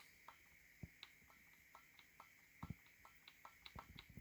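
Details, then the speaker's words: Game controller left trigger, sticky and mushy: soft clicks and faint creaks with each pull, about three a second in a quiet room; the trigger spring is heard creaking. "Sticky and mushy. You can hear the spring going."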